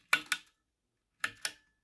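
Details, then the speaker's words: New WOTAN Dulux-S 9W red G23 compact fluorescent lamp from 1990 with an argon glow starter: two crisp double clicks about a second apart, then silence, as the starter fires the lamp. Normal glow starter operation. "Le starter, c'est quoi le starter? Un starter à l'argon qu'on entend un petit peu. Donc ça, c'est cool."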